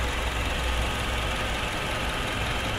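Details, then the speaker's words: Honda CR-V second generation: steady idle with a dense metallic rattle (klotok) under the engine note from the timing chain area; the oil pump chain guide is suspected broken and letting the chain slap, and the valve cover is being removed to check. "2 yang tadi malam bunyinya klotok-kotok ya kita coba bongkar berada di tutup klep terus damper terus deck timing chain nya ya"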